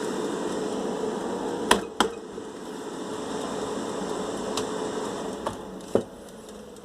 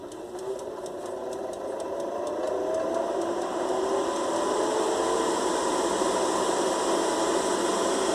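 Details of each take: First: Air fryer that ran but made a loud strange noise, after reopening and tightening parts, closed up: steady, even fan hum with a few light clicks, no rattle or scraping; loud noise gone, running normally. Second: Air fryer fan whirring with steady rapid knocking about three or four a second, opened and running; motor possibly loose from a missing one of three mounting screws that stabilize it.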